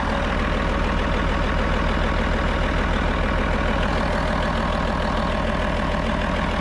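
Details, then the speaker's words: 8.3 Cummins road grader diesel at idle, about 25 psi oil pressure, knock mostly gone after removing pump drive from crankshaft rear: steady low idle with even knock; hard starting, owner suspects gummed injection pump, advance not working, unconfirmed. "Yeah, you can kind of hear, I don't know, you know, that pump just may not be putting out what it should be. It might be gummed up."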